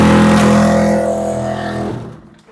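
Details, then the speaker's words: Samsung 2023 heat pump dryer that makes a huge noise and sometimes sticks its drum, started with no program selected: a loud, rough rumbling drone that winds down, with heavy vibration. Something is broken inside. "This is the problem. I think you hear the noise. You heard the noise. This is very bad noise. Something broken inside."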